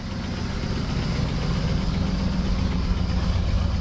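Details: 1967 Buick GS340 after a new water pump, left idling and cooling well: a steady, even low idle with a smooth, unbroken rumble and no knocks or misses; healthy and settled.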